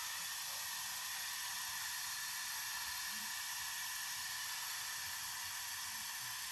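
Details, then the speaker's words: Steady high hiss of trapped air escaping from an opened radiator bleed valve on a newly installed radiator that will not heat, half hot and half cold; venting continues until water comes out. "burayı anahtarla açıp hava sesini dinleyelim gördüğünüz gibi fısırtı sesi"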